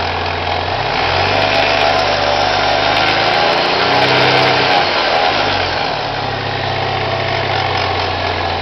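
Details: Chevrolet Cavalier with M45 supercharger at idle: steady knock about four times a second over supercharger hum, from the pulley or timing chain area; knocking noise, cause not identified.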